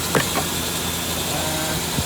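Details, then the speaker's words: 2000 Ford Ranger XLT just revived after sitting for a long time in a farm field, reportedly with a new motor: smooth, even idle with a low steady hum and no knocks or misses. "It's running really good though. Yeah. That sounds pretty good for being sitting for so long."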